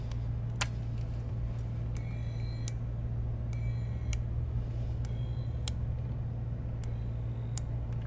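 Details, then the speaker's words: Digiflavor Helix box mod firing: short bursts of high buzzing ticks about every second over a low steady hum, recorded near its speaker; odd electronic ticking, cause unconfirmed. "What the fuck is that noise? Shh, listen. Let me get that by the speaker. Hold on, listen. Wow, that is the weirdest sound I have ever heard come out of a mod."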